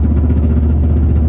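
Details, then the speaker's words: 2006 GMC Sierra V8, cammed and lifted, with new exhaust: lumpy choppy idle with a rapid, uneven clatter on the low rumble as the exhaust hits the underside of the truck. Needs a return to the exhaust installer. "That is my exhaust hitting the underside of my truck. And that means unfortunately we're going to have to go back to the exhaust shop."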